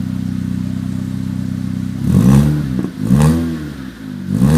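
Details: Ford Fiesta Mk7 with Borla exhaust after an exhaust leak was sealed with silicone gasket: even idle, then three clean throttle blips rising and falling smoothly, with no puffing or ticking at the joints. Normal exhaust note.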